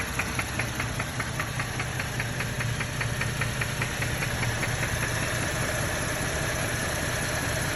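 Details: 2012 Chevrolet Camaro RS 3.6L: sharp, even ticking about two and a half times a second over a steady idle, fading after several seconds; engine knock, cause unknown.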